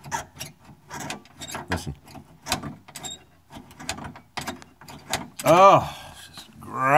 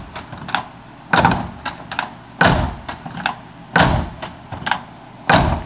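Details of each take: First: Dry, unlubricated door latch on a GM K5 truck, worked by hand before Fluid Film: uneven dry scraping creaks and a rising squeal as the latch spring and shaft grind. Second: GM K5 truck door, era-typical panel fit with a ding, closed repeatedly: solid single thuds about a second apart, no squeak or rattle; closes and latches smoothly.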